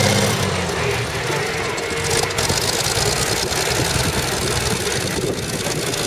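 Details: CVR(T) Striker FV102 tracked vehicle, Aug 2010, misfiring badly: rough lumpy idle with an irregular knocking, stumbling rhythm, caused by a stuck valve; engine later replaced with a spare and then ran fine.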